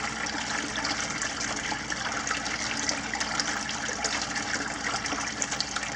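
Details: Jebao DC-6000 aquarium return pump after cleaning, tested at full speed in a 5-gallon bucket of water: steady churning and splashing over a faint, even hum, no rattle, grinding or cavitation; runs normally.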